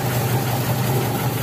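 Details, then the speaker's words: Taruna EFI, before a tune-up, complaint of misfiring and no power: the petrol engine idles low and unevenly with a stumbling beat; the check engine scan shows 0 DTCs. "Oke, cek engine aman yo, 0 DTC tapi pincang. Kenapa? Yombo 0 DTC tapi pincang yo."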